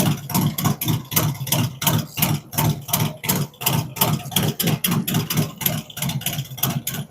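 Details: Freshly built V-twin on its first fire-up with a 468 cam, adjustable pushrods, aluminum intake, 5.3 injectors and Thunderx headers: a loping, even potato-potato idle near three pulses a second, steady with no knocks or misses; healthy idle.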